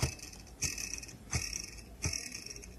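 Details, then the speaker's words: Samsung RSH1DTMH side-by-side refrigerator: sharp ticks about every 0.7 seconds over quiet fan hum as evaporator fan blade scrapes built-up ice. "aqui fica a ventoinha girando ela já dá pra já dá pra ver o ofício barulho e se raspar no gelo"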